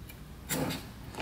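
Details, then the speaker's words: Old Kawasaki dirt bike that sat outside for a while, corroded engine, aftermarket carburetor, no air filter, not yet lubricated through plug hole; slow kick-over with gritty crunching on compression, no firing, cause unclear: crunching noise when turning over. "compression sounds a little crunchy in there you can hear it kind of crunch"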